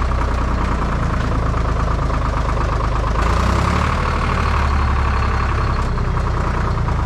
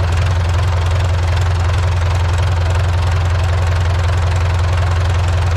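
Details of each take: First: IHC 844 tractor diesel at idle with a replacement muffler: steady low idle with an even, slightly hollow exhaust note that sounds wrong or odd. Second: Old IHC 844 diesel tractor idling on a freezing day around 0 °C, after exhaust pipes were swapped from a 633: a deep, even thump of about 2.5 beats per second with no misses or knocks. Runs like clockwork. Normal idle.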